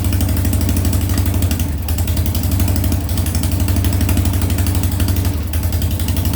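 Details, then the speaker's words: Harley Sportster first start after top-end rebuild (new lifters, rings, cams, porting): V-twin idling with a lumpy, stumbling beat, about four pulses a second; rear cylinder misfiring and not running hot, coil or Ultima ignition suspected. "a little misfire on that coil there on the rear cylinder it's not burning hot like the front is"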